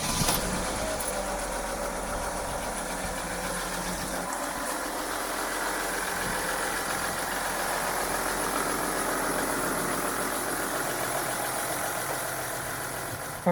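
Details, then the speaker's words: 2012 Mercedes Sprinter diesel van after oil and filter change, fuel filter change with pump primed, and sensor replacement: even idle with steady low clatter, no misses or knocks; normal idle. "it sounds good we got the fuel filter changed the oil and the oil filter and the sensor changed"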